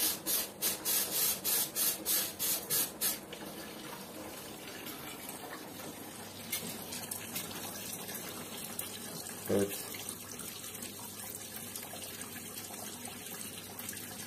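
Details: Combi boiler radiator being bled: a few spits, then an even unbroken water trickle from the bleed valve with no sputtering, meaning no air remains; the pressure gauge is dropping toward 1 bar.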